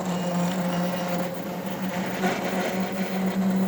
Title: Roland Versacamm Motor Error 0080 with Loud Noise